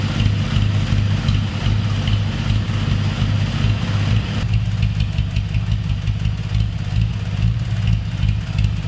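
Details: 1970 Dodge Challenger 225 cu in slant six with new carburetor, cold: steady low idle with slight rhythmic lope, no misses or knocks; idles healthily, idle screw possibly needs raising.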